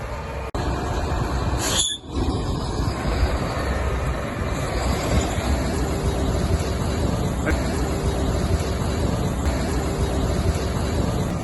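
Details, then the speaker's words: Gleaner S98 combine running again 2.5 hours after a wheel fell off during soybean harvest, with some visible damage: steady, even diesel drone with no knocks, grinding or surging. Owner says everything sounds good. Normal running. "Now we'll see whether we run it yet or not. Everything sounds good, but got a little bit of damage right there."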